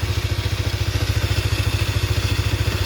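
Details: Honda Supra GTR 150: the starter stays engaged, a pulsing whir of nearly three beats per second under the idle. Tapping the faulty starter relay stops it, and the relay needs replacing.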